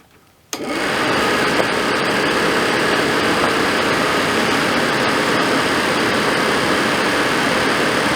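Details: Suburban RV furnace after control board connection work; fan kicks in to a steady even air rush with burner lit, no scraping or rattle; lit right up, running normally.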